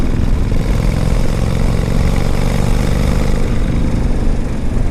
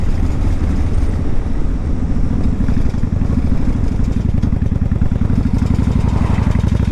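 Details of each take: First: 1995 Honda Shadow 1100 V-twin with 22,000 miles, tuned up, started on a warm day without choke: steady, even low idle with no misses, knocks or ticks, running smooth and healthy. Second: 1995 Honda Shadow 1100 with 22,000 miles on a test ride: a fast, dense metallic chatter over the V-twin's deep, steady drone, a light piece of metal vibrating against a larger one; source still unknown.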